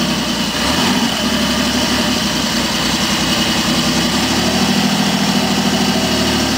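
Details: BSA Rocket 5-speed motorcycle, just kick-started after brake service, valve adjustment and tightening loose rocker boxes: steady, even idle with a low throb and valve clatter, holding constant speed; normal idle.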